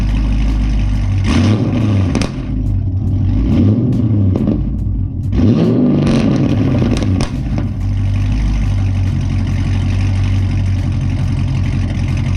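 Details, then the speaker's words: Modified Pontiac G8 GT (long-tube headers, straight pipe, Vararam intake, tuned), cold start after sitting a couple hours with intake reinstalled: settles into steady idle with quick rev blips, no knock or stumble; normal, previously acted up lumpy on cold starts, dirty MAF suspected. "all right everything is back on hopefully start right it's been sitting for a minute usually just cold starts though"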